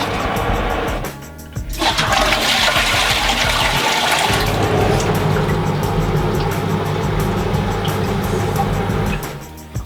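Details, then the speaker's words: Saniflo macerator after clearing a blockage that caused a squeaking noise on flush: toilet flush rushes while motor hums steadily and evenly, no rattling or grinding; working normally after repair. "that's fine it's working satifactory perfect job done"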